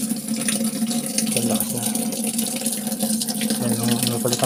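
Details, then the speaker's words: LG top-load inverter automatic washing machine set to wash, after replacing a part for very weak water inlet: strong, steady rush of water filling the tub with no sputter or trickle; normal water fill after repair. "narinig moung tubig malakas na o yan normal na ano niyan na flow"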